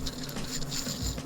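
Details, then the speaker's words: Sugess Moonphase automatic watch: loud, gritty, rattling whirr as the automatic rotor spins. Owner suspects poor rotor bearing tolerances; watchmaker's lubricant made no difference. Manual winding also gritty. "It's a noisy rotor and it doesn't sound good."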